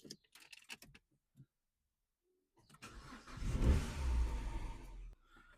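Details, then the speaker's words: Car start-up: catches after a short crank and settles into a smooth, steady run with no knocks or misses, though an engine fault and service light show on the dash. "As you can hear, it sounds pretty good, but it comes up engine fault on the dash and the service lights come on."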